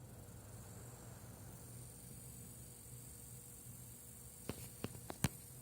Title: Sapphire R9 390x nitro whine noise